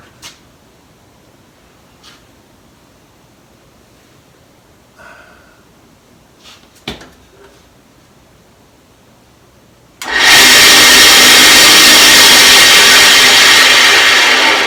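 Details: Craftsman 12-inch vertical bandsaw after installing new guide bearings, blade refitted and settings unchanged: after quiet handling it starts with a harsh, loud hissing roar that stays far too loud; the source of the excessive noise is still unknown. Excessive running noise.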